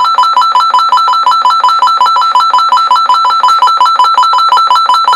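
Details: Midland 9001Z CB radio's built-in alarm working normally: rapid electronic ringing, about five pulses a second, that gets louder in steps the longer it runs.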